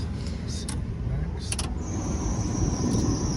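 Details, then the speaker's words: OBS work truck, revived after sitting, idling on test drive: high steady squeal comes in once the AC kicks on; AC compressor belt squealing/slipping. "oh that's the ac belt squealing in there compressor"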